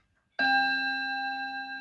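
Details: Westminster chime mantel clock, after bending the chime hammer up off the bar: single clean strike rings with steady, slowly fading tones, no buzz or rattle, hammer now clears the rod.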